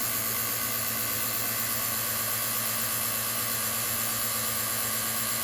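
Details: Vacuum pump with a new replacement mechanism on its one-hour break-in run, inlet capped so it pulls vacuum on itself. A steady, even high hiss and hum with no knocking or rattle; running smoothly. The pump got hot and misted oil afterwards.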